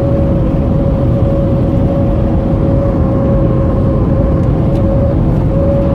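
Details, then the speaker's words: 2010 Toyota SW4 on a test drive at road speed: faint wavering whistle over steady road rumble from air getting past the badly seated rubber roof seal; wind noise from leaking roof seal. "esse é o barulho turma que eu falei para vocês que faz aqui na borracha no tempo"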